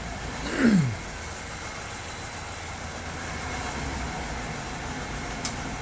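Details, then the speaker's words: Structurally modified LPG-converted car at idle with scope on ignition, fuel and ground: cranks, catches, then idles low and uneven, shaking badly; caused by poor wiring contact in the add-on gas control unit, shaking stops when wiring is jumped. "지금 시동을 걸었고요. 영상에 보이는 것처럼 차가 심하게 지금 떨고 있어요. 많이 떨고 있죠."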